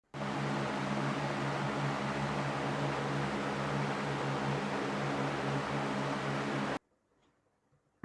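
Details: Ceiling fan running on inverter supply gives a steady low electrical hum, a buzzy drone under soft air rush, then cuts out. The fan motor hums on the inverter.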